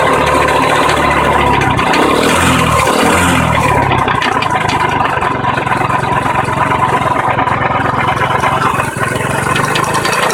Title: Knocking or grinding type of noise from engine seems more in clutch side